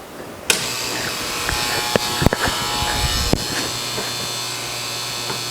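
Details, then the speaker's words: Bally Space Time pinball machine being restored, first power-up: loud constant low electrical buzz from the back at switch-on with a few clunks, no lights; traced to a buzzing scoring reel coil. "Got some buzzing. I think that's the lock on the door. Sounds like we got something buzzing in the back."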